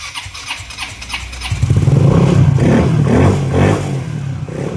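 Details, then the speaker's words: Mio MXi scooter that would not start (fuel pump and IC replaced; fault was touching white and red wires, spliced), now on stock ECU: cranks about 1.5 s (hard start), then settles into a steady, even idle. "So ayan yung nakita niyo hard starting siya nung una no. So manda naman siya matino yung menor."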